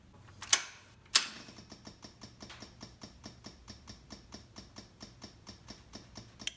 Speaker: eventually that noise will stop when fuel stops flowing because the carbs will stop the movement of fuel and then I'll know that everything is filled and all the air is perched